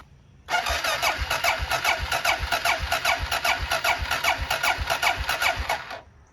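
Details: Honda XR650L single: starter turns it over at about two and a half compressions a second and it never fires; plugs come out wet with fuel, no spark at the plug, so crank no start from no spark.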